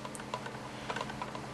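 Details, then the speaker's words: Engine fan hub and motor pinion just installed and aligned with screws lightly snugged; gears turned by hand give light, uneven little clicks with no rubbing, hard spots or grinding, just normal slight backlash. "all right a little bit of backlash yep looking good"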